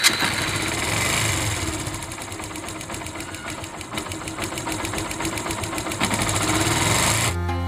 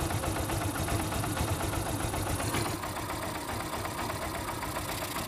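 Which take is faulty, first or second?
first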